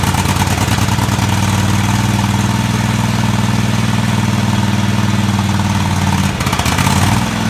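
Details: Craftsman DGT 6000 twin-cylinder engine after reassembly (new fuel line, fuel pump mounted), first run: steady low thrumming idle, even firing beat holding pitch, no knocks or rattles — normal idle.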